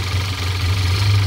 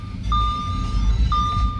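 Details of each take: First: 2014 Audi A4 2.0 turbo after the repair for P0171 lean at idle and misfire: smooth, even low idle hum with no stumble or shake; misfire gone. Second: 2014 Audi A4 2.0 turbo, misfire with P0171 lean at idle: uneven, very shaky idle rocking the camera, steady chime overhead; cause found as PCV valve stuck open.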